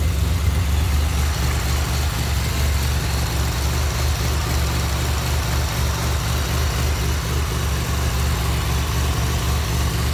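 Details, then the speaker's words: 2007 Pontiac Grand Prix GT after a crank-no-start: missing #15 PCM fuse (rated 10 A) filled with a 15 A fuse, and it just about fired right up. Smooth, steady low idle with an even beat, no knocks or misses; engine healthy. "So let's go try this again. Just about fired right up."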